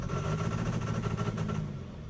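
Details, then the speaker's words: John Deere 6420 tractor with a DE10 injection pump, hard starting and running rough, showing an intermittent pump control valve closure-too-long code: rough, uneven diesel chug under throttle, as if only about half the cylinders fire; factory ECU wiring is suspected too light. "It doesn't sound too bad right now until I give a little bit of throttle. And it sounds terrible. Sounds like it's only running on about half the"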